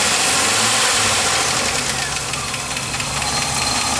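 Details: 4.3 V6 with a steady light knock, 3-4 taps a second, getting faster with rpm. Present from start-up, it fades after about 20 minutes running and returns on restart despite fresh 10w30 and Lucas treatment. Lifter or rod bearing suspected.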